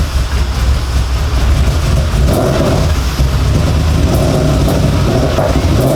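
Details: Audi S4 4.2 V8 just started after about two years: loud rumble with an uneven, lumpy beat and wandering revs; rough running, owner suspects vacuum leaks.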